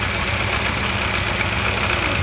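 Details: Dodge Challenger pace car V8 on self-tuning EZ-EFI, ignition timing set. Fuel pressure is 43 with the engine off and drops to about 40 running. Loud, even idle at a settled speed with a steady beat, no knock, miss or hunting: normal.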